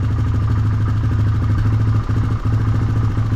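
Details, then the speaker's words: 1999 Honda FourTrax Rancher 300 TRX 4x4, warmed up: slow, thumping idle about three beats a second with sagging dips, on the verge of stalling because the idle is set too low; corrected with the idle screw. "even when I warmed it up outside it seemed like it was kind of all on the verge of stalling so give this idle screw a little turn"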